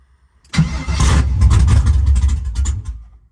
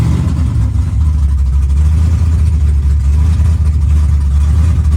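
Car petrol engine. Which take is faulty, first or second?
first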